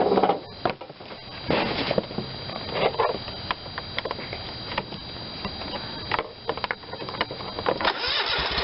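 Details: Dixon 5022 zero-turn mower with Kohler Command 22hp engine after a new electric PTO was fitted: cranks, catches and runs evenly while the PTO is cycled on and off with clicks; no grinding or unusual noises, healthy.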